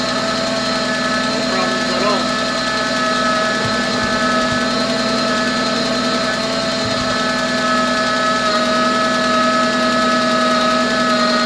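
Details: VW B5 cold idle on first start after sitting 1.5 years, oil primed first: light quick tick, suspected sticky lifter from storage, with a steady high squeal from the power steering pump typical of this generation; not confirmed.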